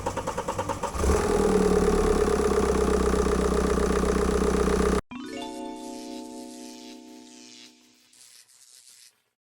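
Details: BMW 520d with N47 diesel after fuel-line metal-debris cleaning and high-pressure pump and injector repair, previously no-start: cranks, catches and settles to steady even diesel clatter, no misfire or knock, music plays alongside; normal start and idle.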